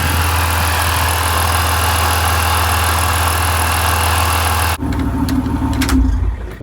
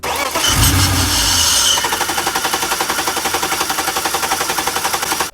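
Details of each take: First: BMW E46 323i with M52 engine after replacing the faulty air flow sensor that caused crank-and-stall starts: the engine settles into a steady, even idle with a smooth low hum and no stumble or miss, then is switched off. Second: BMW E46 323i with M52 engine, hard starting for months, needing a ten-minute wait: starter turns over at an even beat, about 220 a minute, but never catches despite fuel pressure, injector pulse and spark; crank no start, traced to failed air flow sensor.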